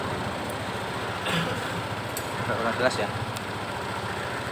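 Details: Honda PCX scooter that had been losing power and bogging at full throttle, idling after the right-hand throttle-opening sensor reads normally again on the scan tool: an even, steady putter with no misfires, stumbles or hunting.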